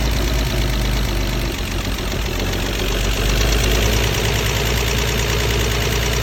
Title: W114 280ce rough idle